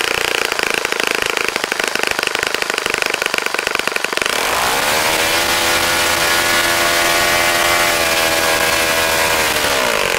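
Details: Saito FA-65 glow four-stroke model engine, first run after rebuild, APC 12x6 prop, Morgan's Omega 10% fuel, Fox Miracle plug, needed heavy priming: rough start, then a clean, high, steady tone at full throttle with no stumbles; runs nicely.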